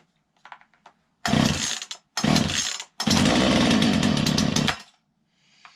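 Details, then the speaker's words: Poulan Pro PP3516 chainsaw after gas line replacement, started on full choke with chain brake on: fires in short bursts, then catches for a steady, even high buzz; starting and running normally, carb adjustment to follow. "okay Fire's up gas line sounds good"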